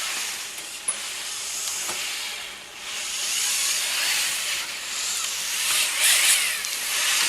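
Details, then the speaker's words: Commercial off-the-shelf servo motors in a robot: harsh high buzzing whine swelling and fading as servos move, loud gear and motor noise. "but his use of gears produces very loud robotics, which I don't like, and I'm using one of these videos of his which really shows how loud and obnoxious all those noises are."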